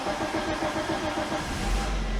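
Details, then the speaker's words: Geely CK2 1.5 L with LPG fitted: a camshaft sensor error appeared after a valve adjustment, and a new sensor changed nothing. The starter churns on and on before the engine catches, hot or cold; incorrect cam timing marks suspected. "Ось так вона довго заводиться бутімто вона гаряча бутімто холодна без різниці"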